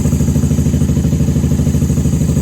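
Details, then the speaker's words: 1994 Honda Magna 750 VF750C V4 warming up on choke after fuel line repair, airbox removed, unbaffled factory pipes: loud, deep, even burble with steady lumpy rhythm, no clatter or misfire; normal idle on choke. "I'm surprised she's running so well without the airbox on. Let her warm up till choke can be turned off."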